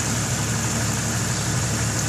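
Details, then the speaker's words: Jeep 4.0 six after swapping to Autolite 985 copper-core spark plugs, having previously spit, popped and backfired (machined head, thinner head gasket): steady, smooth idle with no popping, misses or backfires; running like it used to. "she's running like how she used to she's idling nice and smooth the engine is not all shaky nice and smooth"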